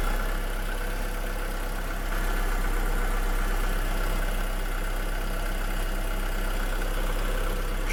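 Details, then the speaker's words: 2007 VW SpaceFox 1.6 8V flex engine after oil and filter change with revised starter motor; smooth even idle with steady low hum, no knocks or rattles, engine healthy. "Então beleza vamos funcionar el agora ó rapaz barulhinho da tá top e o barulinho do motor de partida também"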